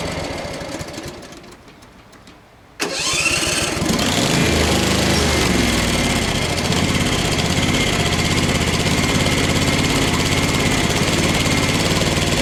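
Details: Craftsman FS 5500 lawn tractor before its carburetor was cleaned: quiet cranking, then the small engine catches near three seconds and runs with a slightly unsteady beat, a slow, reluctant start; the owner says there was dirt in the carburetor.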